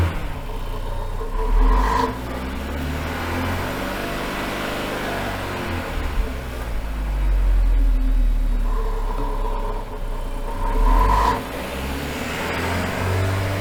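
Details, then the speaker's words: Engine on a dyno stuck in limp mode: revs up repeatedly, flattens out at about 3,000 rpm and drops back, unable to rev further; cause still being diagnosed, and unplugging the wheel speed sensors was considered. "well it still isn't revving it that time it was only going to about 3,000 RPM so trying to see what it's doing"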